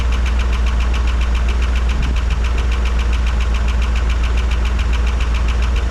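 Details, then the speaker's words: 1985 Dodge D150 with carburetor, running and idling well otherwise: a fast, even clapping tick, three or four a second, at idle. Owner suspects lifter tick but unsure, and checks the oil pressure sender. "I don't know what that sounds like lifter tick to me I don't but it's not quite a ticking it's kind of a clapping noise"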